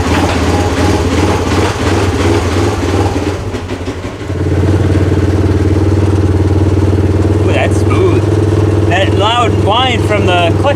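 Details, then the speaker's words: 2017 Polaris RZR XP 4 1000 after a rebuild with a thicker drive belt; it idles and pulls away with an even drone, and the earlier high-pitched clutch whine is gone; normal CVT clutch operation. "and that noise that high pitch wind from the clutch that's gone too so he'll be happy about that"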